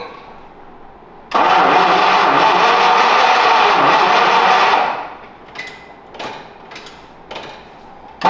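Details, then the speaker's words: 1951 Packard after transmission rebuild, gas gauge showing empty: long starter grind for about three and a half seconds, then only short bursts, no steady run; no fuel reaching the carburetor. "can you tell us what happened the first try well um in the gas gauge is showing empty"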